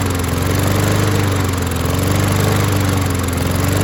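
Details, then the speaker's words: Husqvarna push mower pulled from the trash, after a spray-cleaned carburettor with the jet not removed: single-cylinder chugs with a loose, slightly wavering beat at steady throttle; runs but not cleanly, and a remaining jet blockage is suspected. "heck yeah got us a running mower now is it perfect no"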